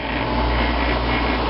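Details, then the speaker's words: 1995 Fedders window air conditioner on cool, compressor started after sitting unused since summer, heard from outside: steady hum with low drone and fan rush, no clicking or rattling; compressor runs normally and quietly, air already cool. "yep that air is already nice and cool and now let's listen to it outside and here here it is outside with the compressor running it's real quiet"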